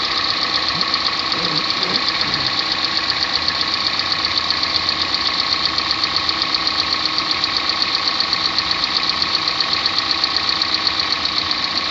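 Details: 2014 Kia Sportage 3, AWD, 13,000 km: steady sharp ticking about two per second over a smooth idle; regular engine knock whose source isn't clear.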